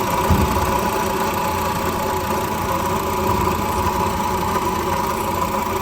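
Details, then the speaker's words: At idle right after starting: constant gritty whirring hum over the engine, no knock rhythm, like a broken bearing; 86,000 km; worn water pump bearing. "जैसे ही गाड़ी को start करते हैं तो engine के अंदर से अजीब सी आवाज आना शुरू हो जाती है जैसे कोई बेरिंग टूटा हो या कोई चीज डैमेज हो"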